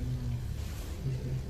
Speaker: Berarti kalau ini bergetar, dengung, tapi kipas tidak berputar, berarti kerusakannya ini bisa karena kapasitor ataupun bearingnya.